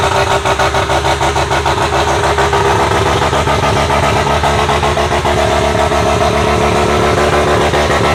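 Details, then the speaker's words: Bridgeport-ported rotary engine car, warming to operating temperature after hard start: choppy, loping idle at about three pulses a second with crisp exhaust pops; normal lumpy idle. "all right boys so it looks like we cracked the code right we got the right recipe to get this thing running now"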